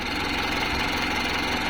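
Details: Mitsubishi 4M51 diesel with former hard start and low power, after replacing the computer box and spill valve module: steady, even diesel clatter at a settled idle with no misses; restarts fine, problem fixed.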